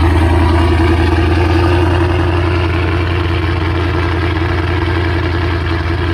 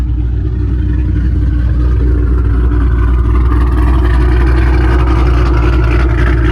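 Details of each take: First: Mustang 3-valve V8 just after cam install on both sides: steady, lumpy idle holding a little above where it should; idle slightly high, considered how it will sound. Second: Mustang 3-valve V8 after aftermarket cam install on both sides: deep, heavy rumble with a lopey beat that swells as the throttle opens; runs strong and healthy, idle noted slightly high.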